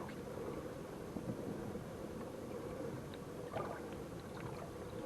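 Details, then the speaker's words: Hammerhead Kayaks Bull Shark pedal propeller drive after the fix (a small bump sanded off and touched up with black spray paint): soft water swish, faint wind, no creak or click on pedal strokes; the earlier creak is gone. "when I get back to the house I'll show you where I sanded it off and then just took a little bit of black spray paint and touched it up and you almost can't tell that I was even there but uh the creek the noise in the drive totally gone now"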